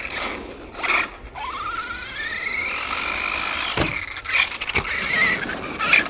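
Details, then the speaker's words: Arrma Granite 3S BLX RC car with aftermarket centre diff, centre shaft worn by grit: high metallic squeal climbing with wheel speed over gritty scraping. Drivetrain grinding squeal; car won't roll free, owner suspects grit in the centre diff. "The only other problem with this is that the centre shaft's getting eaten away with grit. That don't sound good, does it? Trying to work out what that is."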